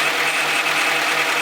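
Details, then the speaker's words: Honda CRV at idle after timing belt replacement, power steering fluid having leaked out when the top line was removed: steady high whine over a faint idle, not from the engine; owner suspects a bad pulley or empty power steering. "Sounds like one of the pulleys is probably bad. But also, I feel like it could be maybe, I completely ran out of power steering."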